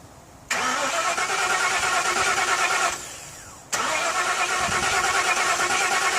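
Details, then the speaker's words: Carbureted engine, rechecked head bolts after head gasket leak: two spells of even starter cranking, about three beats a second, never catching; every valve rocker adjusted too tight, compression leaking past valves, fixed by readjusting rockers. "every single valve rocker on here was an overnight and it was just letting the pressure stroke push right on past without"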